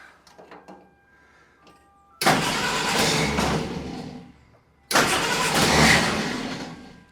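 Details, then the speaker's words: Willys CJ2A first start attempt, fuel fed from gas can, bowl backfilled with brake clean: two rough, labored cranking bursts without catching; starter sounds weak, earlier tests pointed to the starter, not the relay. "That starter doesn't sound good."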